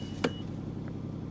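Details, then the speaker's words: 2007 Mercury Mountaineer, running a while, with cracked-radiator history and an exhaust leak: steady hum with short beep, idling high, which owner suspects is a head gasket symptom; white smoke seen after. "it's idling pretty high right now and this is why i think it might this is part one of the head gasket symptoms"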